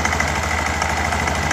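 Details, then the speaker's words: Honda Genio scooter with sudden rough engine noise: loud coarse rasp over steady idle from the CVT side, caused by a loose CVT pulley nut/bolt striking the starter pinion. "keras sekali ya teman-teman di bagian CVT nya ini karena more ini atau baut ini ketemu dengan pinion starter"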